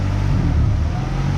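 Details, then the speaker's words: 1994 Honda Accord, 256,000 miles; previously stalled randomly, throttle body cleaned, now low petrol idle swells and sags instead of holding steady. Surging high idle; owner suspects vacuum leak or backed-out idle screw. "big idle, surge idle. Normally these surge idles are because of the vacuum. Probably has a vacuum leak, or the idle screw is probably backed out."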